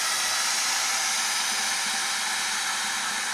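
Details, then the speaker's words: Ford F-450 4x4 ambulance: opening the second rear door vents the air suspension (brand-new rear airbags) and quickly drops the deck for loading; strong, even hiss with no stutter or clicking, a normal air release. "When you open the back doors, the second door here, it'll let out the air, and then it'll drop the deck down."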